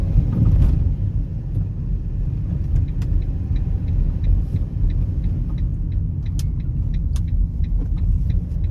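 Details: Fiat Doblo 263 van driving with sharp, irregular front suspension rattles and clunks over road rumble; persists after replacing drop links, and no play found in the ball joints or steering rack.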